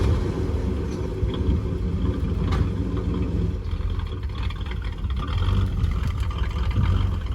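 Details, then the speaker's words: 1975 Chevrolet Monza with a 350 V8, mufflers removed, heard from inside the car on a test drive: deep, even V8 burble rising and falling with throttle, no misfire or knock, barely louder in the cabin; healthy. "It actually sounds like a V8 now. Yeah, not bad."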